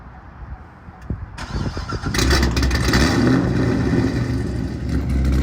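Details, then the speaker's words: Corvette with a stage 3 cam, running in neutral: a few sharp clunks, then harsh grinding over a rough V8 before it stops; grinding had earlier stopped the car while driving, cause unknown. "So I just left it running for like 10 seconds in neutral, just trying to listen and feel what I can feel. And then it just started grinding and then just stopped again."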